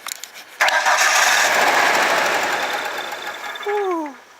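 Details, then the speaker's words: Ford Ranger after transmission and starter install, on a charging battery in wind: starter churns about four beats a second for several seconds, then winds down without firing; owner suspects a bad fuel pump from sitting, as it starts on starter fluid. "I believe the fuel pump is bad on this because it's been sitting, but when you spray some starter fluid in and whatnot, it starts up."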